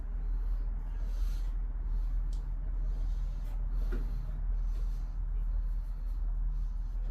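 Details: 2015 Nissan Rogue started after an oil and filter change and a serpentine belt replacement (the old belt was damaged): low, steady idle hum with no squeal, chirp or slap; engine and new belt drive running normally.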